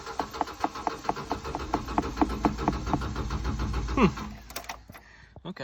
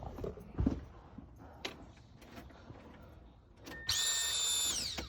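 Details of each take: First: 1997 Subaru Outback with about 230k miles, cranking after dying with the oil light on; the fuel pump was replaced a couple of weeks earlier. Steady cranking with no firing; owner suspects it is not getting fuel. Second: 1997 Subaru Outback, 230k miles, after replacing a split fuel line at the pump: high steady whine about a second then winding down as pressure builds; pump primes normally and engine then runs.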